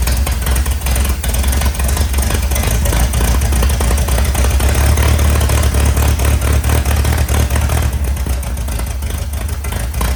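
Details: 1961 VW Beetle barn find air-cooled flat-four, unmuffled, first run after years sitting: deep, throbbing idle with a steady low beat and no misses; idles evenly, oil leak suspected from rear main seal.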